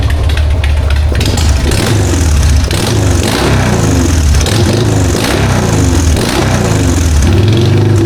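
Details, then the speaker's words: 1999 Harley-Davidson Sportster 1200 with S&S Super E carb after cleaning and replacing the accelerator pump, the suspected issue: lumpy V-twin beat revs up and drops back cleanly, no spitting or stumble on throttle; normal running after repair. "Okay. You can't tell me you don't love that sound. That is a 1999 uh Harley-Davidson Sportster 1200 with an SNS carb."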